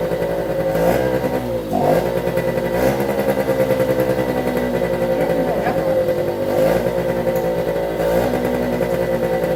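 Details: 1973 Suzuki TS50 two-stroke, first start after full restoration and a one-kick start on choke: pops along crisply with a few throttle blips, then settles to an even buzz and sounds healthy. Air in the oil pump lines needs bleeding.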